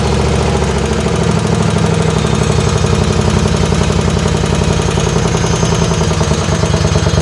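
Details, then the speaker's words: Race lawn tractor on its second run, 12° outside, warming up: a hard, rapid popping bark at fast idle. Even with a couple of added drilled baffles, the exhaust is better than before but still too loud. "Uh the exhaust sounds better, but I think it's still too loud. It does sound better. It sounds like before it was really loud."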